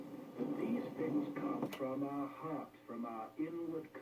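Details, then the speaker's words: Mid-1960s low-end Arvin AM/FM stereo radio under repair: on a weak FM station the voice comes through choppy and smeared because the set, lacking weak-subcarrier cutoff, still tries to decode stereo; garbled FM stereo audio. "so on a weak station it's still trying to decode stereo even though the carrier is too weak so that's where you get all that garbled voice there"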